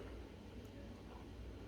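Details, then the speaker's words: Whirlpool dishwasher running quick programme 45 (P7) with a newly replaced drain pump. A soft, even, low hum purrs from inside the cabinet with no rattle or grinding; the pump is running smoothly. "On l'entend ronronner là à l'intérieur, c'est elle qui tourne."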